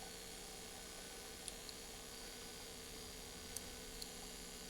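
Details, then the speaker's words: 1967 Fujiya-made Audition 2210 battery-powered AM/FM 3-speed record player, all-germanium: low steady hum under faint hiss while turntable motor runs, motor noise bleeding into audio; jumping across the motor cap makes no difference, so not that cap. "okay the motor is running you can hear this I'm going to just jump across the cap as there I have no difference"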